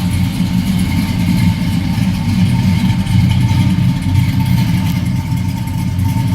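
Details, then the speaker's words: 1972 Oldsmobile Cutlass S with fuel-injected V8 swap and Doug Thorley headers, heard from the rear after fast idle has come down: smooth, even low rumble, no misses or knocks; normal idle. "Slip around to the back also, see here since that idle's come down."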